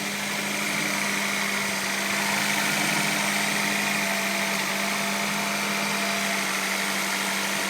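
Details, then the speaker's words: 1995 Acura Integra after replacing distributor cap, rotor, ignition coil and plug wires to cure a no-start: starts quickly and holds a steady, even idle hum with no misses, ticks or hunting. "looks like it's working good so far hope stays like that"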